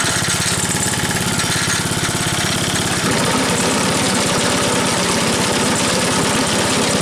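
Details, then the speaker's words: Troy-Bilt Trail Blazer sickle bar mower, 4 hp recoil-start engine, low on gas: catches after a brief rough start, settles into a steady quick popping beat; starts easily, running normally. "This thing starts real easily, so I truly don't care that it's not electric start."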